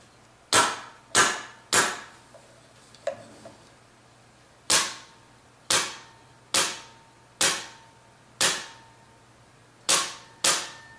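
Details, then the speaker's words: Polarstar airsoft gun with folded bucking lips and a BB stuck: sharp single cracks about a second apart with a muffled odd shot, jam sound; fix is a new bucking. "Just wanted to show that that's the issue right now, is he's definitely got that issue. He's going to have to get a new bucking. Because once you fold your bucking, then it's folded forever."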